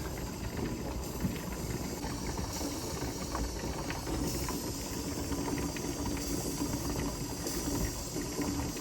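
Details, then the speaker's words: Older Presto pressure canner processing chicken broth, heat turned down to around 2 on the stove: steady steam hiss with ticking as the weight over the vent starts to rock. Normal canner at pressure, weight beginning to rock. "hear the ticking it's starting to think about actually rocking not quite there yet it is thinking about it"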